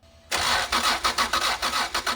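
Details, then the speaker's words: Heavily modified turbo Honda NSX sat about 10 years, being cranked to check for injector pulse; starter churns evenly with no firing; owner suspects injectors stuck shut; cranks but won't start. "I got Tim here we are going to go through crank this thing over and see if we have a pulse to know that the ECU is trying to fire the injector"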